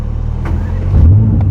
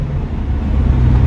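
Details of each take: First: Mercedes-AMG GT Black Series V8 on the road home from the Nürburgring, with a sudden loss of power: deep drone that stumbles and breaks up unevenly as the throttle opens. It is misfiring under load, cause unknown. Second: Mercedes-AMG GT Black Series in Comfort mode on the drive home from the Nürburgring, after an earlier unexplained no-fuel breakdown: deep even engine note pulling away smoothly with no stumble. Normal for now, but soon after it skips, cuts out and won't restart.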